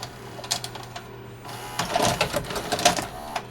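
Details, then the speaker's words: VCR during repair attempts, play pressed after tape stalled: irregular, labored clicking and rattling from the tape transport as it freezes up and eats the tape; mechanism struggling. "I was afraid of that I was afraid that it was freezing up because it was eating the tape and right now it is"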